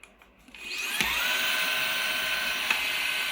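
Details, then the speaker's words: Perrysmith vacuum cleaner motor after repair: it used to jam and stop because of hair buildup, so it was cleaned, the bearing was adjusted back and the housing was drilled. It now spins up quickly to a high, clean, steady whine and runs normally. "pergi memang laju eh. Aku tak tahulah laju ni nak pergi mana vakum ni."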